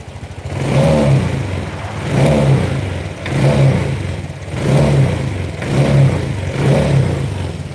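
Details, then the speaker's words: Honda Vario scooter that ran rough cold but normal hot, after a reset, engine at 82: repeated throttle blips about every 1.5 s, smooth rise and fall, no stumbling; clean pickup. "Oke teman-teman coba perhatikan kembali waktu awal ini bunyinya enggak kayak gini sekarang kita reset jadi tarik ngisi"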